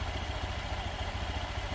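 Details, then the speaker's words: Honda Beat Deluxe scooter after new crankshaft installed and engine reassembled, first start with CVT cover off: steady low even putter at idle, no knocks or rattles; sound smooth again. "Nah, motor sudah hidup guys. Suara sudah kembali halus. Dan ini suara CVT seperti ini."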